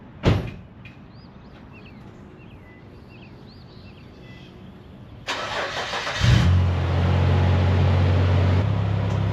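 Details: 2002 Nissan Xterra 4x4 that had stalled and sat parked for months, started during repair; short crank, catches quickly and settles into a steady, even idle with no misses or knocks; sounds healthy.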